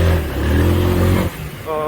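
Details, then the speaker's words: Honda Forza 300/350 single-cylinder scooter, 2019, on a test ride after chassis repair: steady low drone, then eases off cleanly with no shudder or rattle; the earlier vibration is resolved. "고객님께서 불판에 하셨던 그런 문제점들이 지금 해소가 다 됐습니다 불에 앞에 땡겼다가 브레이킹 앞에 땡겼다가 브레이킹 했을 때 떨림이 없죠"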